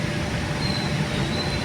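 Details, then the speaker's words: Honda GM petrol engine after replacing faulty ignition coils, idling in gear with handbrake on, headlights and AC loading it: steady, even low rumble with no stumble; it previously had a slight misfire and shook. "तो अब यह गाड़ी fit है यही मसला था गाड़ी का ठीक है तो क्वाइलों का मसला था"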